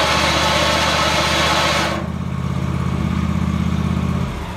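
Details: 47-inch snowblower attachment with impeller, auger and front gearbox removed, rear gearbox already replaced, PTO drive belt attached: harsh grinding over the tractor drone settling into a pulsing rumble; source unfound, bearing suspected; grinding noise.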